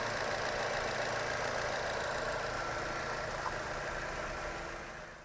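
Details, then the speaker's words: 2016 Chevy Cruze 1.4L after a one-part fix for the engine clicking and code P0496: a steady, even idle with a light regular tick about four per second; no clicking noise, engine working normally. "as you can hear we have no clicking noise which is great the engine works as it should"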